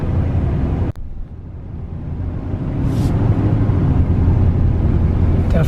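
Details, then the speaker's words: 2000 Ford F150 at idle: low, uneven rumble with the beat stumbling now and then; check engine light on, code reader shows cylinder 4 misfire, coil pack or fuel injector suspected, coil pack to be replaced. "This truck is running. It's running rough. It's missing."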